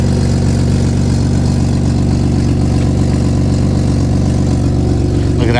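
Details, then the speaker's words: Nissan Skyline R33 RB25DET after new power steering hoses with a stepped brass joiner and bleeding the air out: the wheel turns lock to lock without binding, one-handed, with an even idle and no whine or groan; normal pump. "we've got no binding in the steering wheel. We can easily turn it just by one hand."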